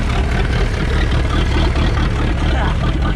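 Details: 1999 Chaparral 180 LE bowrider, Mercury 3.0L four-cylinder sterndrive, first run after six months stored in a shed: steady, slightly rugged drone with no knocks and water splashing, normal running engine.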